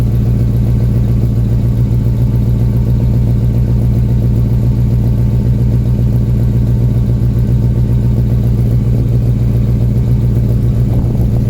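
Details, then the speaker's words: 1979 Volvo 240 with carburetor and manual choke, after exhaust swap from another 240, still a little cold: deep steady idle with a slight lumpy lope, no knocks; carb tune uncertain, a new engine-bay squeak noted. "so so so so that's pretty much what it sounds like at idle it's still a little bit cold and i'm not sure how well the carb is tuned"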